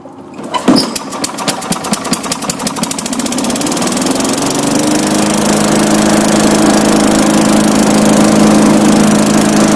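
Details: Tecumseh-powered Craftsman 4-in-1 yard vac (model 247.770100), sat about two years, fresh gas added: pull-start catches within the first tries, sputters briefly, then settles into a steady even buzzing run; healthy.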